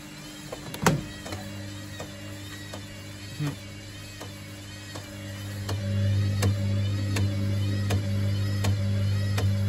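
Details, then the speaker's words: Baumatic BDI1485D4E 8 kg washer-dryer draining after the rinse: low pump hum with a light knock about every 0.7 seconds; owner wonders about bearings or a bent-up heating element knocking depending on load, cause unconfirmed. "5 minutes later it's draining out that rinse there is a knock I wonder is it"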